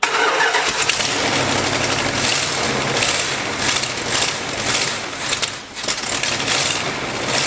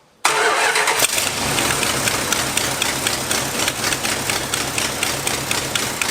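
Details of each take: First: 1986 Dodge Ramcharger, carburetor left outside in the rain with its accelerator pump possibly not working, first run during rebuild: it catches and runs but surges in uneven waves and won't settle. Rough running, will not idle. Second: 1986 Dodge Ramcharger, after tightening the loose, screaming belt and fitting the carburetor return springs: the engine catches immediately and runs steady and even with no squeal or stumble. Normal running.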